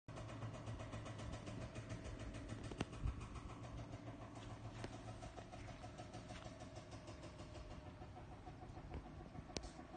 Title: Ball check valve noise vibration